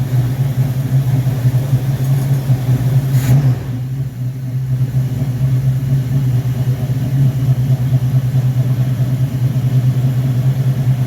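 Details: Rebuilt Rochester Quadrajet 7029202 from a 1969 Corvette (ethanol-damaged fuel bowl cleaned up), first start after rebuild: deep, even V8 idle and a quick throttle blip that rises and settles cleanly; normal idle and revs.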